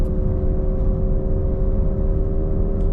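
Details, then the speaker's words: Cadillac DeVille driving: a steady mid-pitched hum over road rumble varies with speed, not RPM, and grows louder turning left and quieter turning right; a worn wheel bearing, to be replaced. "And whenever I turn left, so more weight is on the right side of the car, it gets louder. And whenever I turn right, so more weight is on the left side of the car, it gets quieter. Um, but there there's just a humming sound."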